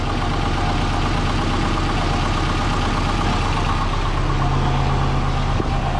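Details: Twin-turbo Subaru started after tightening a joint to stop a leak: loud deep idle at steady pitch, no stumbles or rattles; sounding good.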